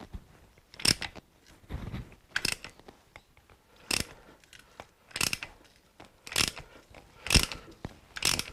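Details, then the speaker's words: Suzuki GS1000 motorcycle parked about 20 years, rocked by hand: scratchy, ratcheting grinding bursts about once a second; rough internal grinding, cause not yet known. "I can hear it it sounds terrible"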